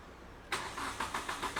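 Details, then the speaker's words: Car with the check-engine light on: the starter spins the engine with steady rapid compression beats but it never fires because one sensor connector was deliberately unplugged; it cranks and won't run, and the fault needs a computer scan. "Satu soket yang Siki cabut, kereta ni 100% tak boleh start. Bukan tak boleh start, dia tak boleh hidup. Dia dua perkara yang berbeza."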